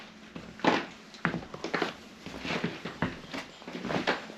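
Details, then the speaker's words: 2023 Ford Transit Extended van conversion floor, half-inch pink foam board under 3/4-inch plywood: each footstep brings a dry crackling creak, about twice a second, from foam creaking in some spots after the adhesive dried. "Basically, you can hear the foam creaking, and it's not everywhere."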